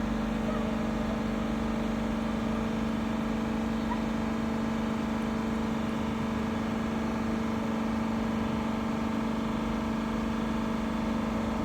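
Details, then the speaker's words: 2021 Dodge Durango R/T 5.7 HEMI after new spark plugs, revved and held at about 3000 rpm; a smooth, even hum with no misfire stumble or ticking, then released with no abnormal noises, so the engine runs healthy. "In this case, the engine sounds good. I just released uh released uh the accelerator. Still no uh no abnormal noises."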